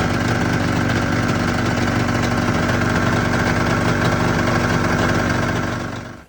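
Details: 1996 Arctic Cat ZRT 600 two-stroke snowmobile idling after a fuel pump rebuild with a Vertex kit. Steady, even buzz at a constant pace with no stumbles until it is shut off at the end: a normal idle.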